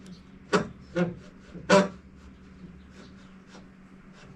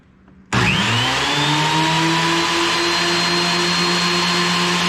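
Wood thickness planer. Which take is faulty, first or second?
first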